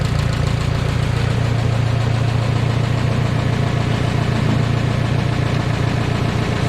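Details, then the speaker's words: 1969 Minneapolis Moline U302 tractor after engine rebuild from stuck, first start after points work; deep, steady low thump at idle, about three and a half firing pulses a second, even and settled; running healthy. "Finally did some work on the points, got it to fire up. Oliver Phil came over and helped me this afternoon. Greatly appreciate his help. Although neighbor Carl did a lot of help too, but finally got her to fire up. So this is what she sounds like. Good."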